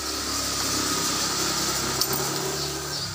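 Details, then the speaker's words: Suzuki Smash FI motorcycle after 3 years of use, standard 800 ml SGO oil: light, even idle with smooth quick patter, no knocking or ticking; exhaust has slight noise from a loose plate; normal idle. "Bunyinya juga menurut saya masih halus ya, tidak ada masalah. Bunyinya masih halus, mesinnya tidak ada bunyi klotok-klotok."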